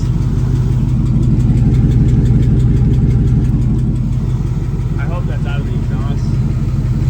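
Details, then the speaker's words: LT1 V8 swapped Mazda B4000, freshly started with alternator charging: light, fairly regular tick about three per second over the idle rumble, seemingly from the exhaust; source not confirmed. "do we have charging voltage oh yeah the alternator is even working something to be a tick coming out of the exhaust"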